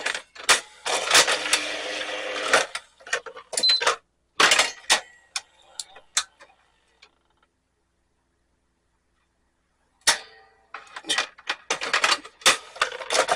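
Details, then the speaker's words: National DP-350/800/930 VHD player after cleaning the dried-up loading belt by the worm gear: light mechanical whirring and crisp clicks as the tray cycles, no slipping or stalling; sounds much better, loading mechanism works normally. "jeez the we sounds much better"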